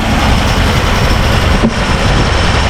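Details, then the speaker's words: 1951 Plymouth Cranbrook, freed from seizure, near operating temperature, smoking, oil pressure dropping to 20 psi: lumpy rumble with a knock only at mid rpm, stopping at higher revs; suspected bad piston rings, likely needs rebuild. "right there in that mid when I rev it up just right there it'll knock I go higher it stops"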